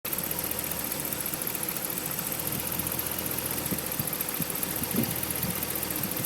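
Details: A 2010 Ram with the 5.7 Hemi V8 idles with a dense, steady hum and a faint, light mystery ticking mixed into the running noise.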